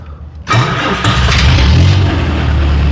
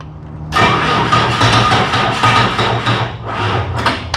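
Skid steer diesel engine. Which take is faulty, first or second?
second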